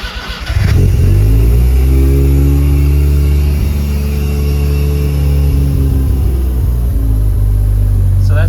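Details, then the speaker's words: Mazda rotary 13b/12a with FiTech EFI, first start in about two weeks in summer weather, fuel pump banging heard; cranks briefly, catches cleanly into steady, even rotary idle without misfire; normal cold start and idle. "that's a first start, cold start in about probably 2 weeks or so."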